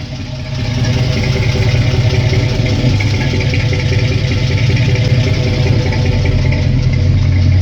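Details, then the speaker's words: 1964 GMC carbureted engine, fuel pressure about 1.5 psi, carb tuned rich for winter, spring weather: lumpy idle with occasional stumbles on one bank; misfire at idle, owner suspects spark plugs due. "Hear it misfiring a little bit on this bank anyway. It is due for a set of spark plugs, I think."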